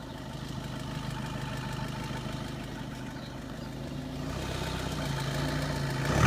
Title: Engine rattle seat Leon 2013 2.0tdi